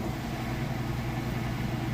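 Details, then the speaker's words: Amana washer in final high-speed spin after draining, at full speed: even low hum with a gentle regular pulse and no banging or grinding; smooth operation. Normal spin cycle. "Sounds great. Go ahead and open this up. See, it is spinning nice and fast."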